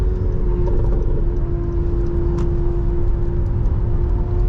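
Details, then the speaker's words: 2022 Honda Pilot TrailSport AWD with 211 miles on the freeway at about 70-71 mph: steady road and tyre roar with a constant low hum, no rattles, whistles or whirring; normal running. "we're going to listen for the abnormal sounds and right now i don't hear anything that's out of the ordinary"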